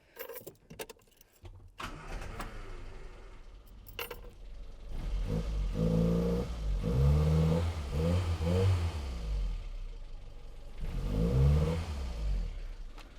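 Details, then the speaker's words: Low-mileage 1984 Austin Mini after servicing the Lucas 45D distributor and updating the SU HS4 carburettor; starter churns, engine catches and settles to a steady idle and takes clean throttle blips, idling better than before. "It's only so much better now. I don't think it would have idled quite like this before. I think it would have cut out doing what I'm doing to it."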